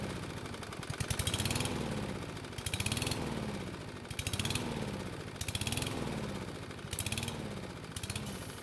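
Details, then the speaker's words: Free lawn mower after refueling from an empty tank: engine speed swells and sags about once a second, nearly dying then recovering; hunting idle, owner suspects fuel delivery issue despite plenty of gasoline. "so as you can hear it basically sounds like it wants to die but then it starts to run just fine only to try and die again now this cycling is basically what it does when you start to run out of gasoline in your tank"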